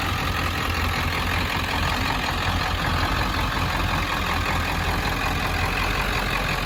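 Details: 1995 Ford F-350 dually, 7.3 Powerstroke diesel, five-speed manual, about 121k miles, serviced: deep even diesel clatter at steady idle, no misses, knocks or hunting; normal healthy idle.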